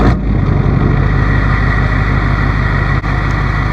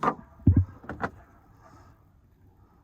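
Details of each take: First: 2005 Chevy 2500HD LLY Duramax with ZF6 six-speed, test drive after front wheel bearing replacement: steady engine drone and road rumble, no thud on lift-off, no hum or growl from the wheel; bearing quiet, earlier noise gone. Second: 2005 Chevy 2500HD LLY Duramax, ZF6 six-speed, 77,000 miles, oversized mud tires: front driver's side wheel rocked by hand on a lift gives dull clunks from hub play. Thudding was heard when lifting off throttle; worn original wheel bearing, new bearings and hub assemblies ordered.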